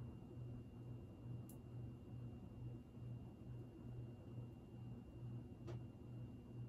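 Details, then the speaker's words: 52-inch GE AirCool ceiling fan, original five-light kit, garage-mounted, medium speed: quiet steady hum with soft swish about once a second from blades; buzzing the owner attributes to a light bulb, not the motor; normal. "but it is pretty quiet very slight humming and i think the buzzing part sound might be one of the light bulbs because the buzzing sound is obviously not the motor"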